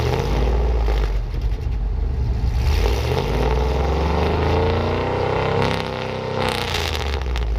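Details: Trailblazer SS V8 with new headers installed; deep loud rumble with a short rev rise settling back to an even beat, no knocks or rattles; normal start and idle.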